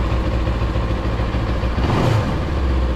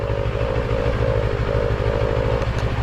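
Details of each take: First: Motorcycle TFT dash cowl at idle after siliconing bracket screws, finger-tight: steady idle thrum, rattling buzz gone, cowl still vibrates slightly but quiet. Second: TFT dash cowl bracket held by two screws: with the screws tightened, a buzzing hum rises and falls over the engine thrum. The cowl vibrates against its mounts; loosening the screws removes the noise.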